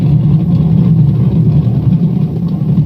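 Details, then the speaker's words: Washing machine making a loud, rough, churning low growl; owner suspects a broken gear (gearbox) that failed during the last wash cycle. "ang gear siguro nito was ang washing natin"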